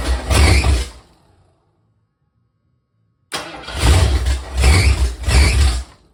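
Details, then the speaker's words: First start of a 347 stroker in a 1976 Mercury Monarch build, temporary distributor meant for an MSD box: the engine catches, dies, then surges up and down three times about two-thirds of a second apart; the owner suspects the two distributor wires are reversed. "gas I don't know why it's surging like that"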